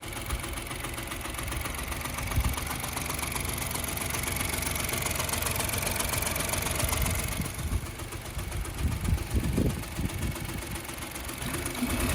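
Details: Opel Corsa 1.0 turbo B10XFT: lumpy idle with irregular tapping, about four taps a second. Compression 100 psi on cylinders one and two, 200 psi on three; starts very hard and runs poorly. Cause unconfirmed.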